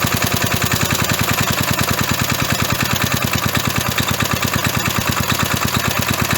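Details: 37-year-old Briggs & Stratton eight-liner lawn mower engine, sat about 37 years, hard starter, started after carburetor cleaner sprayed in: even, rapid single-cylinder firing at steady speed, no misses, knocks or surging; running healthy.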